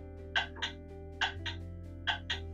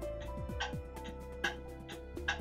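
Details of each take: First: Pendulum clock movement on test stand with beat amplifier, crutch deliberately bent wrong way: ticks land in lopsided pairs, about seventy a minute, tick and tock unevenly spaced; badly out of beat. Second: Pendulum clock movement on a test stand with a beat amplifier, after bending the crutch in small increments; crisp tick and tock alternate at perfectly even spacing; clock in beat.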